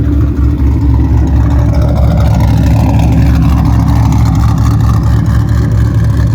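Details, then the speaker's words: Cadillac CTS-V drift car V8 at steady idle after the exhaust was sealed and clamps replaced: deep even rumble with no ticks, puffs or rattles, much quieter in the cabin. Normal exhaust note. "So quiet up front here now. It's great. All the noise coming out of the back."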